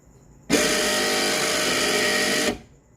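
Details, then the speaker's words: Renault Clio rear wiper motor: harsh buzzy two-second rattle from play in its loose mounting; fixed by packing air-conditioning foam insulation into the mount. "Aqui é um problema que eu tava tendo com Cleo, que é esse motorzinho aqui que fica fazendo essa zoada."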